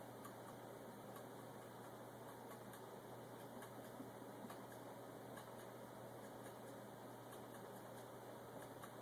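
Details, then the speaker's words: Homemade gamma-type Stirling engine, alcohol-fired, with an unbalanced flywheel, picking up rpm: faint light ticking over a soft hum, a rod knock in the power cylinder from a slightly undersized wrist pin. "i don't know if you can hear that little ticking sound it's got a rod knocking in the power cylinder over there got the wrist pin just a little bit undersized"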